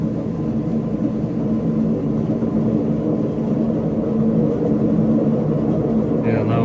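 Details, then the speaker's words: Washing machine on spin cycle: loud, steady roar and rumble throughout with no let-up, from worn drum bearings, recorded before drum removal and bearing replacement. "so today we are going to repair a very loud washing machine there is an issue with the bearing so I will take out the drum and replace the baron"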